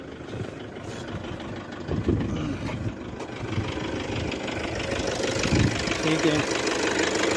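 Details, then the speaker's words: Toyota Revo D-4D 4-cylinder direct-injection diesel, revved at full throttle with check light on: uneven lumpy idle with irregular knocks about three a second, harsh sound, won't take revs and nearly stalls; rough knocking and starting trouble. "Sound में आ गया, थोड़ा सा कड़क आ गया, देखो कड़ कड़ कर भैया।"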